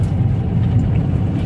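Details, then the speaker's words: Maruti Suzuki Swift after suspension repair, driven on rough road: steady low road rumble, no knocks or clunks, only slight interior rattle; suspension quiet. "വേറെ കുഴപ്പമൊന്നുമില്ല ഇപ്പൊ വണ്ടി നല്ല smooth ആയിട്ട് തന്നെ പോകുന്നുണ്ട് കണ്ടോ റഫ് റോഡിലാണ് നമ്മൾ സ്ഥിരം ഓടിക്കുന്നത്"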